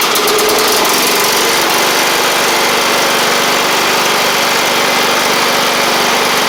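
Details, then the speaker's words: John Deere L110 riding mower engine, after fitting a fuel pump with a longer arm to cure flooding, keeps a steady, even patter without stumbling or surging; the fuel pump was the issue. "that's better hey hey that was our issue let's get it out here and see what it'll do"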